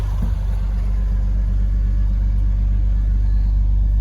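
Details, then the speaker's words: 2004 BMW 330Ci E46 after fuel pump assembly replacement, started with jump leads due to flat battery: fires immediately and holds a steady, even low rumble with no misses, knocks or whines; healthy idle. "Oh, she's fired, running away. Battery was flat, so I needed to give it a jump."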